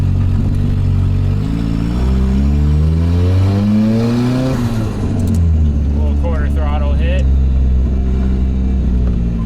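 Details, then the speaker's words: LS-swapped Mazda FC RX-7 drift car with full exhaust and a big coolant leak, on a short drive; loud raspy rising engine note with rough chuffing under light throttle, sounding like a massive exhaust leak. "so it's got a full exhaust but it definitely sounds like it's got a massive exhaust"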